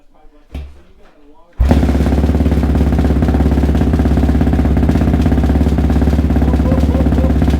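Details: ATV "Randy Savage" after a full engine rebuild, Rossier R5 fitted, first start using the kill switch as the key: fires after a quiet moment and settles into a strong, steady, even idle with a crisp exhaust note. Healthy.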